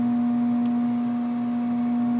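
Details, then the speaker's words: Furnace/HVAC heater that quit overnight (house 64°F, thermostat set 68°F, flame no longer lighting, control light flashing four times): steady low electrical hum with no air rush, blower not spinning; owner suspects fan motor, plans to test capacitor. "yeah that noise right there is what's bugging me I think it's the fan motor but I don't know to be honest"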